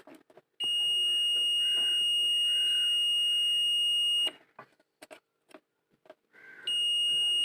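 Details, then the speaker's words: Ahuja 250 W mic-set amplifier under service: multimeter on continuity buzzer across a transistor; a steady high beep holds about four seconds, drops, then returns as the base-collector junction conducts, and it beeps the same with leads reversed. "இந்த ஒன்று வந்தபோது அதே மாதிரி கண்டினியூட்டில் base collector emitter வரும்ல, அது base கலெக்டரில் வந்து இது மாதிரி சவுண்டு வரும்."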